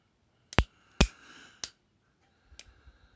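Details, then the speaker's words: Heritage Rough Rider Black Widow revolver just back from three-month factory repair for misfires: three sharp, uneven clicks as hammer is cocked, then faint rattle; action clunky, hammer binds and sticks, owner feels it is worse than before repair. "yeah it's clunky as hell anything it feels worse now than it did when i sent it the hammers even got it let's see that clunk look there it's stuck there"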